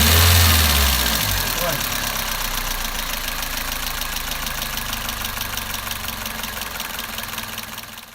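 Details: Toyota Avensis 1.8 at idle: irregular light ticking from under the valve cover, excessive valve clearance on the exhaust valves (0.60 and 0.40 mm); after adjustment with thicker shims the noise nearly disappeared.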